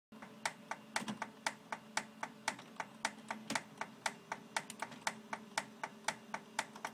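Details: Xerox 6110 printer makes sharp, fairly regular clicks about twice a second over a low hum, both while warming up and while printing; prints come out normal and the cause is unknown.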